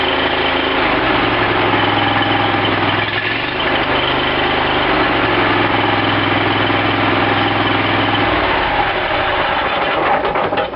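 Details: Cub Cadet lawn tractor after carburetor rebuild, fuel shutoff opened and float bowl filled: engine catches straight away and runs steady and even with no misses or stumbles; normal running.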